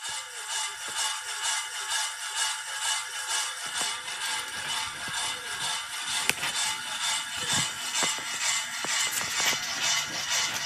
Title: Noisy Wobbly ceiling fan